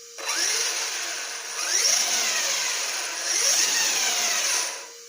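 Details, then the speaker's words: 2010 Serpent SRX8 (811) truggy after rebuild with upgraded ring gear: three clean revs of high gear whine rising and falling with no clicks or grinding; normal gear drive, best it has sounded. "That's the best it's ever sounded. I'm tempted to go take it out and drive it, but the battery's at storage charge."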